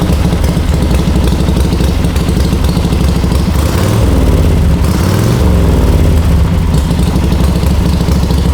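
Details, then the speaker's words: Warm, ridden 1939 Harley-Davidson EL Knucklehead V-twin, about 12–14,000 miles since restoration: deep loping pipe thump with a short throttle blip midway, no ticking or clatter; idles cleanly. "so the thing about a motorcycle one that's styled and tuned in doesn't make a lot of noise now you hear the pipes"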